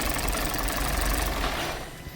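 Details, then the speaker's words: 2020 Hyundai Tucson, 250,000 km, codes P0171/P2187, 3-4 km/l fuel economy: loud, ragged, stumbling running; misfire with shorted taped ignition coil, and spark plugs black from running rich. "एक तो इंजन की बहुत आवाज़ है, दूसरा इसकी इंजन कोयल जो है वो शॉर्ट है।"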